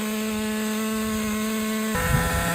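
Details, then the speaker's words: Traxxas Nitro 4-Tec 2.5 RC car nitro engine after loosening over-tight brakes: high buzzy note, pitch drops smoothly and revs freely without stumbling; brakes had been too tight, now running much better. "All right, let's start it one more time. It was the brakes. Damn. It was the freaking brakes."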